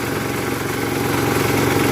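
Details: 1981 Case 210 garden tractor, first start of the season after winter storage, on choke, not in gear: deep, steady single-cylinder thump at even idle, no knocks or misses; healthy engine.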